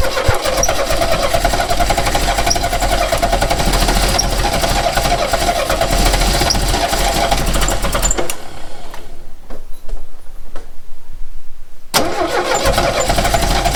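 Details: 1969 Renault 16 petrol, not run in years, on a rigged external fuel supply with fresh petrol after earlier no-spark troubleshooting: steady rhythmic cranking for about eight seconds with no catch; engine spins over but never fires.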